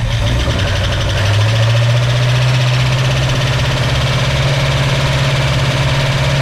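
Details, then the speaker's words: 1965 Ford Mustang, first start with used lifters: heavy, lumpy idle with an uneven beat and faint ticking; ignition timing was too far advanced, resetting to about 8-10° BTDC made it sound much better; rough idle. "better better yeah sounds much better it was too far Advanced"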